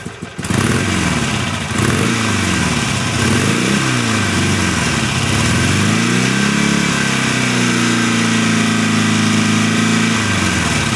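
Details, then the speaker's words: 2006 Harley-Davidson Sportster 883 after 1200 conversion with new cams, more restrictive carburetor jet, Screaming Eagle exhaust and intake: loping V-twin idle, deep even tone, no knocks, rising smoothly with light throttle blips; tame, slightly lower bass than before; normal healthy idle. "As you can hear, the idle's pretty tame. I barely raised my voice. And once you give it a little gas, it still doesn't sound extremely exciting."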